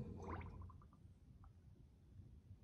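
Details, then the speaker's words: 1954 Chevy, new aftermarket 1-1/8 in bore master cylinder, bench bleeding for soft pedal: quiet gurgling, bubbling bursts fading after the first second as air is pushed out; air in brake hydraulic system. "quite a few bubbles in there as one would expect now i can hear all the air coming through"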